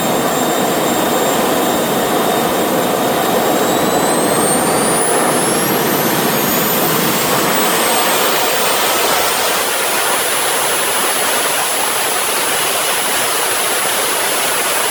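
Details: RT130 model jet turbine after rebuild, spooling to full power: jet roar with tones climbing steeply and a high squeal on top; compressor wheel rubs its front housing, which owner thinks prevents reaching the set 120,000 rpm.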